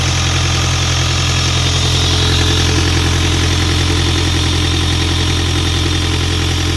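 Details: Isuzu 4LE2 diesel on an air compressor, now running after a no-start problem (smoke out of the intake at cylinder 4) and a cylinder head refit. Steady, even idle with a smooth low thrum and no knocks or misses.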